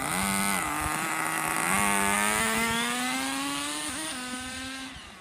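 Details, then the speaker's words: RC nitro car engine, warmed up, first run after over 2 years of storage, body shell off, 2-speed shifting: high buzzy nitro note wandering slightly then settling to a steady unbroken idle with good smoke; runs and idles fine. "So everything seems to work fine. You can see it's idling very well, and there is a good amount of smoke coming out."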